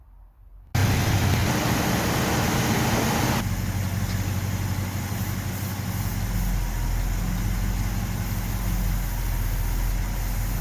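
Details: 1970 Ford F250 360 V8 with carb, plugs cleaned and regapped to about .042, one new, warming up: lumpy, loping idle; idle mixture screw changes do nothing, owner suspects a vacuum leak.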